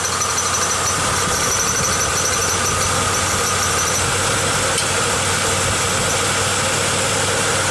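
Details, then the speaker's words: 1995 Pontiac Grand Am at idle: a steady high-pitched squeal and light rattle, worse under load, that sounded like an alternator bearing; actually a temporary wire coat hanger on the catalytic converter, which stops when pressed. "I put a little pressure on the catalytic converter here and all that squeaking and rattling stops and what I've determined is I had flipped this coat hanger on here a while back when I put on a new tail pipe and that stupid little coat hanger is what's doing all the squeaking and squawking up there"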